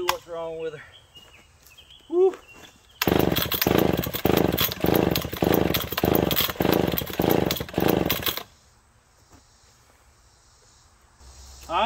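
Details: McCulloch Pro Mac 1010 chainsaw that had been smoking badly, after parts replaced, both carb screws one turn out: stumbles and burbles about five seconds, surging unevenly and never clearing; rich running, flooding, fuel at exhaust while plug stays dry, cause unknown.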